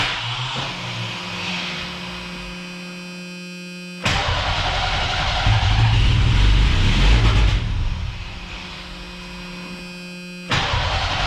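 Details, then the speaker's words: Cheap old Ford Ranger after new fuel tank, pump, tune-up and fresh gas: starter whirs, engine catches and runs rough and loud, then dies as cranking stops; seems very rich. "okay runs on the starter but as soon as i let off the starter the truck dies"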